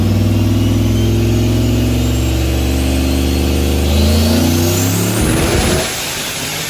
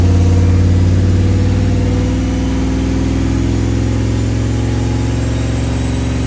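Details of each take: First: Turbo Dakota R/T on dyno, about 19–19.5 psi boost, around 660 whp: deep steady roar holding high revs under full load with no misses or breakup, then throttle lift and wind-down; dyno hum present. Healthy full-load pull. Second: Turbocharged Dodge Dakota R/T on dyno at full boost, after new plugs, wires, cap and rotor: heavy low exhaust roar with uneven, stumbling pulses; still seems to misfire, power unchanged, compression, leak-down and boost leak checks fine.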